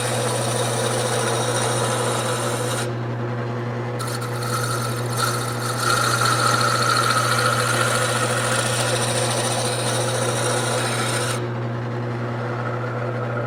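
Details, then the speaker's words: Wood lathe turning stock that looks round but isn't: rough rasping cut with uneven light knocking as the tool bounces, showing the piece is not yet completely round; should sound smooth when round. "now one way to tell if it's completely round it looks round but it's not so if this bounces in any way and I can feel it bouncing that telling me that I'm not quite there yet Hear That Knocking Noise Okay it shouldn't it should be smooth and that way I know it is completely round"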